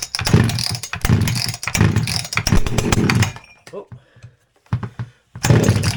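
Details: Husqvarna 359 two-stroke chainsaw after replacing the leaking inlet boot that made it pull air and run lean, with a bored-out open muffler and richened high jet: catches, runs seconds with crisp buzzing beat, sputters and refires; normal running.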